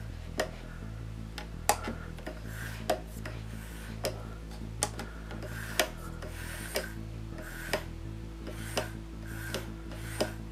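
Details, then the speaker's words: Hornby model locomotive (pug loco) on a Hornby R7229 controller: the motor hums quietly with a soft, even tick about once a second and no controller buzz, normal quiet running. "I change the locate to the h-class be nice and quiet I change it to the pug locate see nice quiet night buzzing noise"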